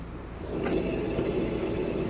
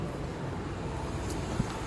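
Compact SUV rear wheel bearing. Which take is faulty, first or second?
first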